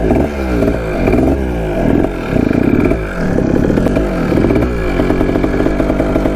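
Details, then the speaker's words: 1980 Kawasaki KDX 175 two-stroke dirt bike, first ride after mouse nest sucked into intake: uneven surges that hesitate and sag as throttle opens, boggy; rider suspects lean running or carburetor slide, tries choke, unconfirmed. "your how boggy it is all right we're gonna run with the choke on for a little bit see what happens maybe it's just running lean that doesn't like the choke"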